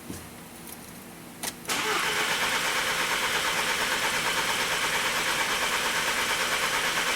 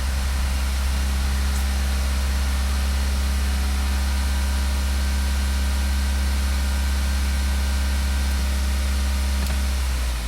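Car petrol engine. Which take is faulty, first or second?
first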